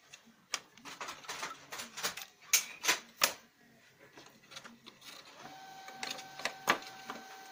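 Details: Lexmark X364dn laser printer running with rough irregular clacking and grinding bursts from a faulty duplex unit; fuser and main drive replacement didn't help, replacing the duplex assembly solved it.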